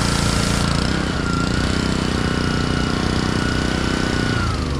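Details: Honda pressure washer that sat all year in a basement, after cleaning a carburetor that had a little water in it: steady even engine drone with constant pump hum, no misses or knocks, holding speed under load; healthy.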